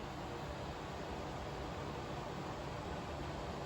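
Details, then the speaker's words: Air purifier (Ecoself vs Jafanda comparison) on the medium fan setting, speed 2 of 3, a little louder than low; soft, even airy rush with no ticks, rattles or wavering, fan running normally. "Now you can see 2 fans, which means it's the medium fan setting. And as a result, you can hear the fan a little bit louder."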